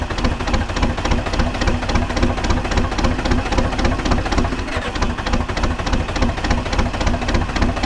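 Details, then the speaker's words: 1980s diesel bulldozer without glow plugs, cold start at 52°F: heavy uneven diesel chuffing around three and a half beats a second, labouring and rough; reluctant cold start. "she is not happy about starting in the cool weather and it's a Brisk 52 degrees today so yeah it's not going to be excited about starting"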